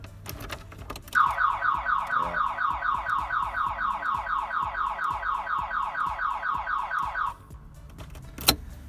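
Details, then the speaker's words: 1984 Porsche 944 after wiring cleanup, on plugging in alarm: loud warbling siren sweeping up and down about twice a second for six seconds then cutting off; aftermarket alarm going off. "last night I got the wiring cleaned up and I didn't really get a chance to start it because as soon as I plugged in the alarm there it started making loud noises"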